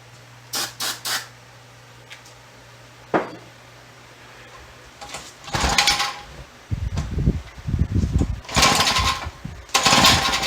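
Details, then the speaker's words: Free yard-sale auger with a two-stroke engine, choke on: quiet pulls, then a few seconds of ragged popping that dies out. It only runs on starting fluid or two-stroke fuel fed down the fuel line, so fuel isn't getting through; the exhaust seems missing. "I squirt down the carburetor. We have a runger. That's all I'm doing tonight. Sounds like the exhaust is non-existent."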